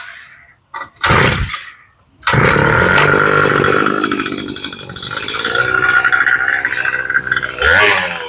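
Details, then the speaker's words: 48cc Power Horse tiller, used once then stored years, after no-start and fuel leak, new fuel and return lines, new spark plug, full choke: catches after a couple of pulls and runs steady and even, no misses. "And she sounds pretty good. This one's ready to go."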